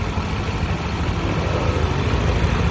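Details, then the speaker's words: Honda Vario 125 scooter idling after engine repair (head resurfaced, missing dowel pins, new water pump, thermostat checked), earlier knock caused by a worn bearing: low, steady, even hum, no knocking or ticking; engine now smooth. "nah carara mesinnya juga sudah halus"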